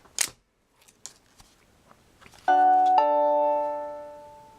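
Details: Nest Protect smoke detector on battery mode after its safety tab is pulled during install: a few clicks, then a clean two-note power-up chime that fades slowly, which is normal.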